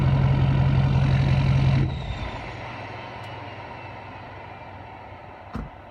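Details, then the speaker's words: 2012 Ford F550 6.7L Powerstroke diesel at idle before the resonator install, mic 16 inches from the exhaust tips, about 88 dB: deep, loud exhaust rumble at steady idle for about two seconds, then the engine shuts off; even, no misses. "Okay, there you have it. That is a point of reference. We are roughly 88 decibels from 16 inches from the exhaust."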